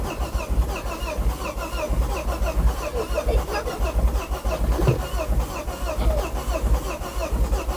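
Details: 2006 Ford Focus ST225, first start attempt in over a year: long, steady starter churning that never catches, cranks but won't start.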